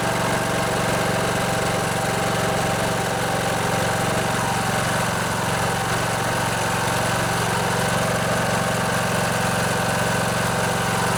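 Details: Poulan Pro riding mower, Briggs & Stratton Intech 19.5 hp, after freeing a stuck carburetor fuel (anti-backfire) solenoid that caused crank-no-start: steady, even engine drone with firm low thrum, no misses or knocks; running smoothly.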